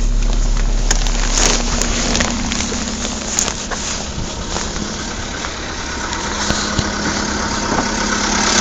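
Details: Skoda Fabia II 1.6 CFNA, about 22,000 km, cold start at −16 °C: a rough cold idle with fast, uneven tapping about four times a second over the engine hum; knock of unknown origin.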